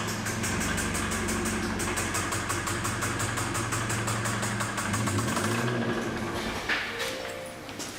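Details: Kia Sorento 2.4 L petrol engine running with a steady, quick deep knock under the idle; spun connecting-rod bearings suspected, not confirmed, before removing and tearing down the engine.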